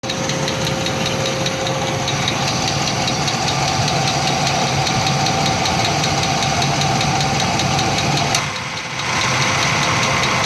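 Car engine idling with a sharp, fairly irregular ticking knock, about three per second, over a busy clattery background; knock of unknown cause.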